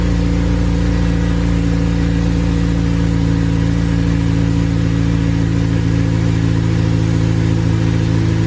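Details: Honda Civic Si with a freshly built K20A engine, new exhaust and modified wiring harness, first run with laptop logging data: even, steady note with a smooth low rumble and no knocks or misses; the engine runs cleanly.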